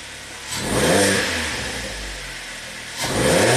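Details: 2011 Kia Forte with intermittent misfire and limp mode under hard acceleration (P0336 crankshaft position sensor code): two clean throttle blips, revs climb smoothly and settle with no stumble or misfire while CKP signal monitored; normal revving.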